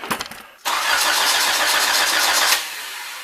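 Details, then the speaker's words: Nissan GA16DET after a new head gasket, first crank with the fuel pump off: a few clicks, then about two seconds of even, steady cranking with no metal-on-metal sounds. Cranking sounds normal. "That sounds normal. It does."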